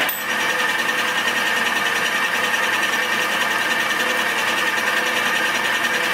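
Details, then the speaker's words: Tool making a light cut while modifying a bandsaw; steady even cutting hiss with faint high singing tone, no chatter; tool biting cleanly, audibly cutting rather than dull. "I can hear it is cutting. I don't know if you can hear it, but I begin to can hear when it is cutting and when it is dull or not cutting."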